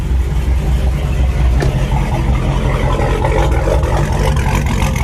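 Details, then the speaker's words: Forged 392 HHP V8 with a Whipple 3.0 L supercharger on the stock tune, stock manifolds and cat delete, warm at 205-210°F with the heater on and coolant bled: a deep, loping idle with an uneven cam chop, steady and healthy. Still awaiting a tune. "Like I said, on a stock tune, just you could hear the chop on it. Once I get it dialed in and tuned, this thing's gonna sound real good."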